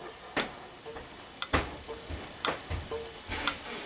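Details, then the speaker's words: Open thermal turn signal flasher on the bench, its steel strip straightening and re-curving as the resistive coil heats: crisp, sharp clicks about once a second in a quiet room, contacts opening and closing normally. "the switch opening and closing opening and closing add infinum"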